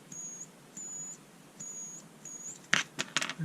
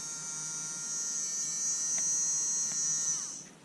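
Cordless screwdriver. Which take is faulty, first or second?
first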